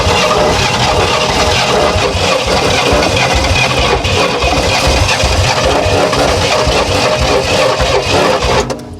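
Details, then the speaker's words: 1968 Oldsmobile Toronado 455 big block, barn find sat 44½ years, points filed: starter churns while the V8 catches on only two or three cylinders now and then, uneven sputtering, misfiring, not yet starting. "so close it's so close it is uh extremely close to one in the Run he's running on like two or three cylinders once in a while"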